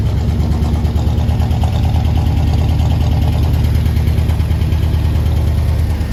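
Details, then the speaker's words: 1974 International Harvester heavy half-ton pickup, first start in a long while on ethanol-free premix fuel: deep V8 idle with uneven, lumpy beat. Misfire suspected, cause not confirmed. "that sounds like four cylinders there that sounds like four cylinders there i think maybe three it's the first time it's ran in quite a while"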